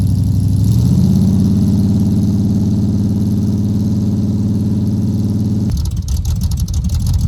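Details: Cold start with no choke of a 383 V8 El Camino on new glass-pack exhaust with headers: deep burble swells as it's revved, then settles to a lumpy rumble; no knocks or ticks, normal running.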